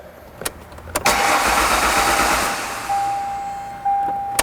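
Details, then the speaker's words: 1998 Ford Contour no-start: starter cranks steadily in short bursts with clicks between but never fires; the fuel pump is commanded on yet appears not to run; crank, no start. "All right, so the fuel pump is being told to turn on, it's just not turning on."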